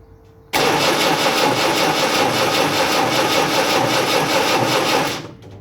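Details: Land Rover Series 3 diesel cranking with a little throttle, injectors loosened, slightly more fuel now appearing: steady, even cranking about five seconds with no firing; turns over but won't start.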